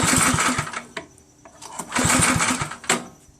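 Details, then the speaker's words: Snotek by Ariens snowblower, 136cc LCT engine with funky-smelling gas and loose compression: the electric starter whirs in bursts with the engine chugging about three times a second, never catching. Cranks but won't start. "I hooked up the electricity to the electric start, and it works well, but it doesn't start. It doesn't even hint at starting. Seems like there's either no fuel or no spark."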